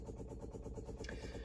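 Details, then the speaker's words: TVR Vixen Series 3, engine not running: Facet Red Top electric fuel pump priming for the single Weber 32/36 DGV carburetor. Fast, even ticking of about ten beats a second; normal fuel pump ticking. "should be but you can obviously still hear it while it's aerating uh it's a facet Red Top pump"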